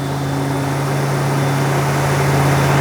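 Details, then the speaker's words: Rebuilt Buick-designed aluminium V8 in a 1980 Rover 3500 SD1, first run with new paint burning off: deep, steady, balanced note with no knocks or misses, louder and smoother than before; oil pressure light later came on; normal running. "Non suona male, però. - Suona bene. È molto più rumoroso di prima. Molto più forte."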